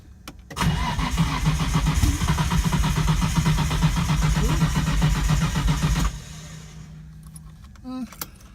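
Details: Datsun 240Z with RB20DET swap, injectors cleaned and tested: even cranking about four beats a second with brief catches, trying to fire but not starting; later starts, smoky.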